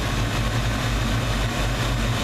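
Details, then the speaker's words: 1992 Ford Mustang 5.0 V8 with a failed distributor pickup and piston knock once warm. Deep, rumbling idle with a faint uneven dip roughly every half second; mild stutter, suspected debris on the pickup's backside. "Got a little stutter to it, but I'm sure there's crap on the backside of the pickup or"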